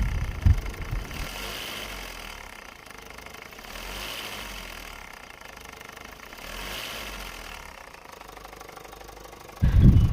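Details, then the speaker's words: Toyota Hiace 1KD diesel idling: a loose, uneven metallic tapping about three per second over the rumble, from a soft tensioner adjuster letting the timing belt tensioner bearing swing and strike it metal to metal. "Pag ganyan mga kasingkit, malambot na yung tensioner adjuster, kaya malakas sumayaw yung tension bearing natin, tumatama yung sa bakal to"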